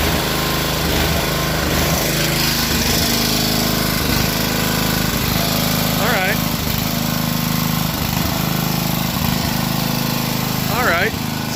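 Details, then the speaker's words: Coleman Powermate 2250 W generator after carburetor clean, new gaskets, and tank cleaned of dissolved sponge debris: starts on first pull, idle surges and sags before settling; hunting at idle, much improved. "it started on one pull but its hunting a little bit to try to get settled in on an idol but you can see that's a huge improvement from before"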